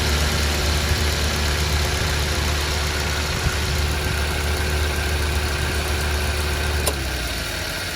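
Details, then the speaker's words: Car idle after fixing idle speed control fault that made rpm fluctuate and engine die with aircond on: steady, even smooth hum with no misses while aircond switched on and off; normal again, rpm steady so far. "Yang hari tu pun dia jadi turun naik turun naik RPM tu selepas lama juga idle tu. Tapi so far steady ah."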